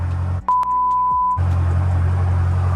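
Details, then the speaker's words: BMW F10 M5 during brake work, started after caliper piston compressed to check fault codes: steady one-second chime over idling engine, dash showing chassis stabilization and brake system warning; owner plans to clear it — brake system warning chime. "Chassis stimulation. Did you have it before? The brake light, brake system."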